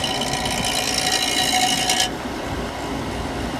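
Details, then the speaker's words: Compressor whose start components had burned up, run after the windings ohm-tested good: harsh high-pitched rattling hiss over the compressor hum for two seconds, then a plain hum; abnormal noise, possibly liquid flooding, not confirmed. "that doesn't sound good whatever that was like maybe yeah"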